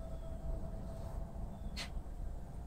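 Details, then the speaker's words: Mitsubishi 3000GT with Tesla drive motor swap, first time in drive: faint steady whine over a low rumble, even and smooth with no knocks or grinding as the motor creeps forward in creep mode; normal. "hell yeah it's in creep mode and guess what it was even going forward"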